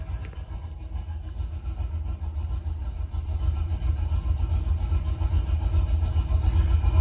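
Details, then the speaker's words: Cammed truck running on the factory tune with no retune, won't idle unassisted; in gear after a throttle blip, deep lumpy idle sags to about 300 rpm and pulses unevenly, computer pulling fuel trims and adjusting idle airflow to stay running. "It dropped down to like 300 RPMs."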